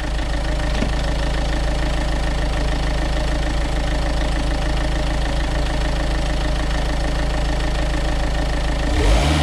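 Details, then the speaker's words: Renault Kangoo 1.5 dCi diesel after accessory belt change: steady even idle ending in a short throttle blip, no belt squeal or chirp; belt drive sounds healthy. "Je vais te mettre un ou deux coups de gaz pour que tu vois bien que je suis pas en train de t'ébaratiner, que c'est du costaud."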